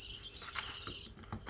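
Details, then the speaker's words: Sonic Flasher toy ambulance siren after a repair attempt: a thin, scratchy squeal breaking into faint chirps instead of a proper wail; the owner may desolder and resolder the whole circuit. "let's um try again oh no never listen to that that's the sound of disappointment that's the sound of baby birds dying in their nests"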